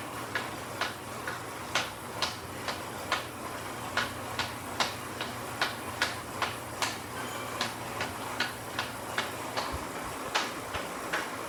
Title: Weird noise from Elite Direto 1st series